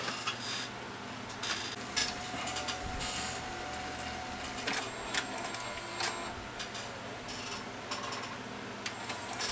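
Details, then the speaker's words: Toshiba VM42 Betamax VCR loading a tape: small motor whirring with rough scraping bursts; cracked plastic gear, but tape loads without jamming. "I don't like the sound of that, but it's not jamming not. Okay, that's in. It's probably going to make that noise because there's a crack on that gear. But at least it loads."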